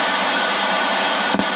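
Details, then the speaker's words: Home theater amplifier with sound fault: in AUX, Bluetooth and FM modes the speaker gives a loud, steady crackling rushing hiss with a sharp pop and a humming problem, no music, before repair. "Bluetooth mode, तो देख सकते हैं Bluetooth mode हमने change कर दिया है, फिर भी ये आवाज कर रहा है और हमिंग की प्रॉब्लम भी है इसके अंदर। FM मोड, तो देख सकते हैं चर करके आवाज आ रहा है।"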